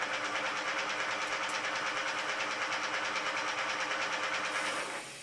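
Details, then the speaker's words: Repaired Bafang G32.250.R-C hub motor, 2018 Puch Dance e-bike, nylon planetary gears replaced, spinning unloaded: steady high whir with a light even rattle that only occurs without load, absent when cycling; motor now runs normally. "you hear a small rattle that is because it is now unloaded you don't hear that rattle when you are cycling and the great thing is this is now suddenly good"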